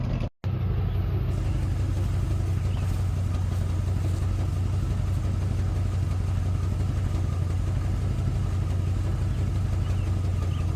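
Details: 1990 Ford F250 idling with a loud, deep unmuffled blatting rumble and shaky exhaust; sounds terrible mainly because the two EGR pipes into the catalytic converter are cut; exhaust leak.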